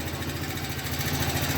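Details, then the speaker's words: New Alpha Motoland Scout 110cc motorcycle, 600 km, idling with an even low thump and dry tapping from the cylinder head; valve clearances adjusted but noise remained; oil pump not delivering oil to the head, parts running dry. "Проблема в том что маслой насос не нагнетает в головку масло как проверили снимаем крышку запускаем двигатель масла не идёт должны быть потоки брызги масла при работающем Маслово насосе"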